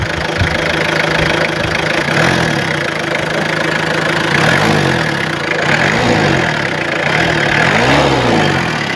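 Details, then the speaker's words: 1999 Mitsubishi Kuda GLS diesel, rpm raised while checking the oil dipstick; even idle clatter rising and falling smoothly through several blips with no misses or knocks, no oil spurting from the dipstick, no smoke; normal revving. "kita gas untuk dari stick oli itu aman dia enggak muncrat oli dan dia enggak ada ngasep"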